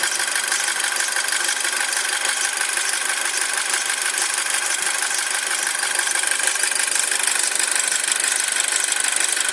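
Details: 2007 Audi A4 at cold idle: fast, even high chirping about three a second over the engine; noise is gone once engine is at proper temperature, origin unknown.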